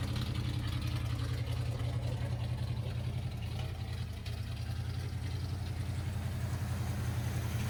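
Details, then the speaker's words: 1979 Ford F150 V8 after a carburettor rebuild and tune-up: low idle holds on its own but wavers and stumbles. A misfire from loose coil or plug boots was suspected, and reseating them plus setting float height to stop flooding helped; it still needs tuning. "it's also weird it seems like I'm having a like ignition issue like a misfire I don't know if maybe one of these coils or couple of these coils aren't plugged fully on"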